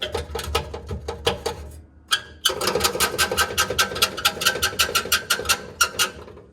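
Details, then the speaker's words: Damaged facelift car won as a free car, while driving. Rhythmic dry metal-on-metal rasping about four times a second: the exhaust is rubbing on the heat shield, which the owner thinks got crumpled when the exhaust was pushed. "I think what's happened is it's pushed the exhaust and it's crumpled this heat shield up too much."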